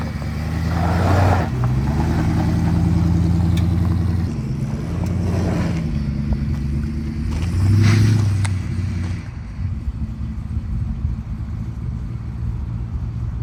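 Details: 1962 Dodge Custom 880, once said to have a cracked block, after a carburetor prime: big engine revs up twice and drops back to a low, steady burble, no knocking or missing; owner doubts the block is cracked, runs well, no smoke.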